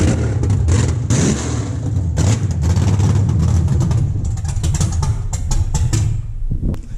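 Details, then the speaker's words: LS V8 swapped into a BMW E36 at its first run after the build, headers fitted, exhaust not yet built and coolant not yet filled: catches and runs with loud, deep, unsilenced throttle blips rising and falling, revving freely; normal. "dude that was sick this thing finally runs"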